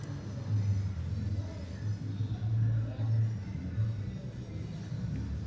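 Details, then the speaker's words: Mabe fridge that switches on but won't start or cool: low uneven hum swelling and sagging as the compressor struggles, starts, rattles and cuts out; cause is the PTC start relay, often clogged with dirt. "nevera marca mavel vamos a revisarla porque me dicen que enciende comienza a cascabelear pero no no arranca el motor ni está enfriando el equipo"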